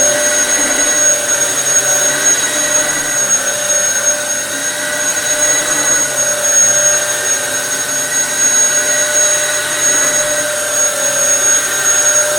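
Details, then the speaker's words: Dyson DC07 vacuum after full restoration with fresh belts (previously ran but had lost all suction): steady high-pitched motor whine with an even airy rush, no rattles, surges or scraping; running healthy. "It should be a lot better now. It's got fresh belts, fresh everything."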